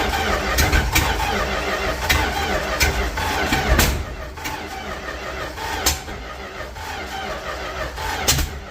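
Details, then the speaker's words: 1967-70 Dodge A108 van, 318 V8, three-on-the-tree manual, timing issues, distributor contacts sanded and fuel added: starter grinds with a few ragged uneven pops; engine trying to catch, firing intermittently. "Stuffed a little more fuel in there, and it's starting to fire a little bit."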